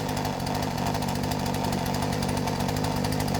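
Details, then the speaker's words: Poulan P3416 34cc chainsaw with new Hipa C1M-W26 carburetor, after idle and low-speed screw adjustments: ticks over at an even, steady rapid beat without hunting. Normal idle. "And she's idling and it seems to be idling fine."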